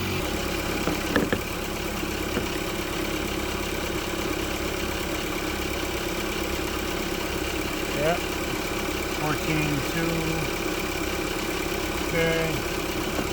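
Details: Car started after alternator replacement (old one had worn brushes), before charging check with voltmeter: quiet, even idle with no knocks, squeals or stumbles; running smoothly.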